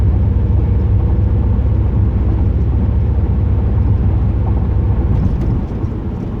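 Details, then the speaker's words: 2008 Pontiac Grand Prix GXP driving just after a Thrush welded muffler install: a deep, even, bassy exhaust rumble with steady pulses and no misfire or drone. Healthy exhaust note. "wow sounds great love it i love it listen to that sound"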